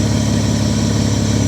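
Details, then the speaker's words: Mitsubishi Diamante at 230K miles idling after tune-up: steady, even, quiet low hum with no misses, knocks or ticks, good cooling-system pressure; smoke has subsided. "you can hear it's running nice and quiet real good pressure on the cooling system now"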